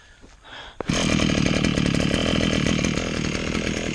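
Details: Maruyama two-stroke engine, temperamental to start; quiet handling, then it catches on the throttle lock and settles into a steady, even high buzz. Runs fine, normal running.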